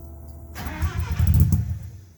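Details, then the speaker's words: Sprite just fitted with a new welded Flowmaster Hush Power muffler: engine catches and revs briefly with a deep, smooth, noticeably different exhaust tone, then settles; healthy exhaust. "Whoa, it sounds different."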